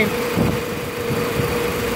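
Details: 2015 Nissan Frontier after tightening a loose bolt that caused ticking and fixing a rattling exhaust rubber mount: smooth, even idle with a faint steady hum and no ticking. Normal idle after the repair.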